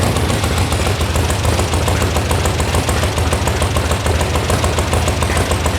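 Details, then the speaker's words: VW sand rail buggy (about 1966), air-cooled engine after electronic ignition install, warm start: fires right away into quick, even exhaust beat at a steady idle with no stumbles; possible loose internal baffle suspected; normal idle. "All right, warm start, turnkey, what happens? Oh, right on the button."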